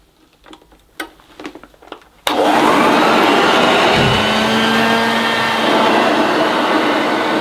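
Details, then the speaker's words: NIB 1976 Hoover Dirtsearcher vacuum, first switch-on, second run: motor kicks to a steady rushing whine and drone with no brush beat; suction pulls carpet to the nozzle and stalls the brushroll, new belt suspected needed. "Well, it seems okay, but uh the suction was pulling the carpet up to the nozzle and uh it was definitely stalling the [Music] brushes."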